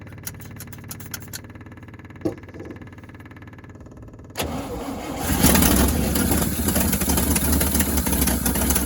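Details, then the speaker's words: 1963 International Harvester Loadstar 1800 petrol truck, first start in 20+ years after priming and carburetor fuel fill: slow cranking ticks, then a strong even run with no knock; air pressure building, oil pressure gauge not responding; normal running after first start. "Oil pressure's not really doing anything, but I don't hear it knocking, so we must be good."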